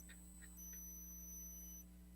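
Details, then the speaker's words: Squeal with buzz from a gifted livestream microphone: constant thin high whistle over a steady low hum; the owner tests unplugging the charger, suspecting interference, and says it squeals when he touches the mic. Cause unknown. "if I unplug the charger y'all still hear it I didn't know if the charger might have been interfering"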